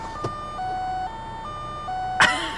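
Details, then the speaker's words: Car just started at idle: repeating two-tone high-then-low electronic chime over quiet idle, the door-open warning triggered by an open door. "is it my door? It's my door. I'm like, what is going on, man?"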